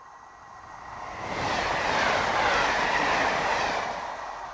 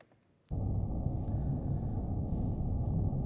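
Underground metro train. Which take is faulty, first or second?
second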